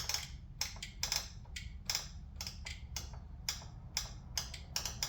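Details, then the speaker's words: Craftsman LT2000 mower after swap to a 20 hp Kohler with aftermarket carburetor and fuel pump, key on, in park, engine off: sharp dry clicks about three a second from the carburetor fuel shut-off solenoid cycling; normal. "That's that shut-off solenoid on the carburetor. It's cycling, so that's doing what it's supposed to do."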